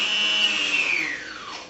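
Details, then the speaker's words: Electric Flights Hawkeye II RC airplane, propeller removed, speed control armed: thin, high brushless motor whine that slides down in pitch as throttle stick comes off, unloaded motor winding down; normal motor run. "that means anytime that I move this stick which is my throttle stick more or less like a gas on a car it's going to run the motor"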